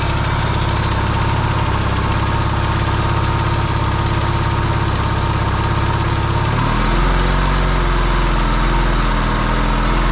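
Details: Yamaha XS650 twin, engine just reinstalled in frame after work to cure oil burning, first start: even steady low twin-cylinder idle beat, quiet, no pinging or banging; smoking, owner hopes it is break-in. Normal idle.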